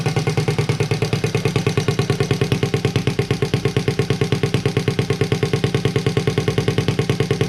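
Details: Honda Z50A Monkey bike running at last after a CR70 stator was fitted with the original flywheel, warming up with the exhaust manifold not connected to the silencer: crisp, even, rapid popping from the open pipe with a steady beat and no knocks or misses.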